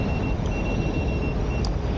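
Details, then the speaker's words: Sherman S electric unicycle on original firmware at speed: motor and wind hiss with high shrill beeps in short bursts, the PWM warning; rider says it beeps too much about going fast. "this wheel keeps beeping at me okay another complaint this wheel beeps too much complains too much about going fast"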